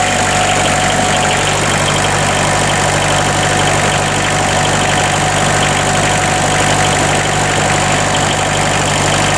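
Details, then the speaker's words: Bobcat 743 diesel after glow plug replacement and bleeding the fuel lines, possibly still some air in them: steady, even idle with a constant low drone and no misses, knocks or hunting. "There She Goes she's a runner she is a runner"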